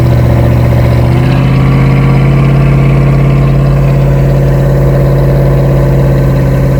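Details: Toyota Cressida first start after two years on new open headers and Y-pipe: loud, deep, steady idle that settles after a brief rise, firing evenly with no knocks; healthy. Smoke is paint, putty and galvanizing burning off the pipes.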